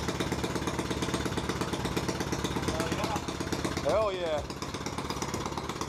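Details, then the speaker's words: Harbor Freight Predator 212 single-cylinder swapped into a 2006 Yamaha YZ85 dirt bike, first run after the swap: fast, busy putter running well above idle, slowly easing as it tries to idle down. "yeah he's trying to idle down for sure"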